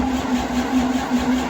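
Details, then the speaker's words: Detroit Diesel 92 series that sat 20 years, installed in a bus: steady, slightly slow cranking that never fires despite pre-primed fuel rails and injectors; air in the fuel system is starving it of fuel. "we did pre- Prime the entire fuel rails on the in the engine so the injectors and everything had fuel but it's not acting like it's not getting fuel"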